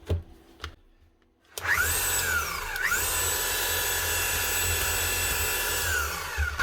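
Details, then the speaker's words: Hilti TE705 demolition hammer that runs but does not hammer: the motor spins up to a steady high whir and winds down with no hammer blows, and the tool holder is rusted and stuck; suspected jammed solid or stripped inside. "Customer says it is working, it's just not hammering."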